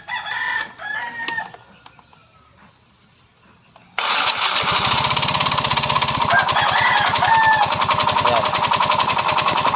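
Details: Yamaha Mio Soul i 125 scooter started with the CVT pulley set removed; steady hard rhythmic knock about 160 a minute; owner blamed the pulley and back plate, but the mechanic diagnoses a worn connecting rod.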